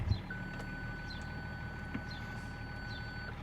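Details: 2003 BMW X5 E53 with transmission fail-safe complaint, engine idling during diagnosis: single high continuous tone about three seconds, park-distance system warning; faulty sensor suspected as PDC not working, not confirmed; ABS and P lights on.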